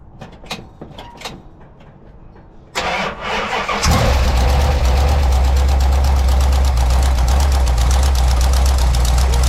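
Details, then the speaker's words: Big-block 1984 Dodge D100 with an Edelbrock 600 CFM carb, after the fuel filter and line were cleaned and the gap was set to .045: a brief crank, then it fires instantly into a loud, steady, even idle. An exhaust leak is noted. "that fired right up yeah now you see how quickly that fired up after we set the point or the the uh Gap to 45"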